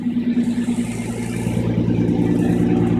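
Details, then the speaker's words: 2004 Nissan Murano, car hoisted: rough puffing exhaust pulse about three times a second from a cracked flex pipe on the header downpipe, repaired by cutting it out and welding in a new flex pipe; exhaust leak. "you hear that that is our exhaust noise so we're going to check it out"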